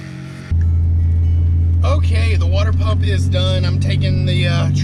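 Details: 2007.5 Dodge Ram 2500 6.7 Cummins diesel (EGR deleted, nearly 200,000 miles), after water pump replacement and coolant change: steady, even low drone, no knocks, squeals or misses, no leaks; normal idle.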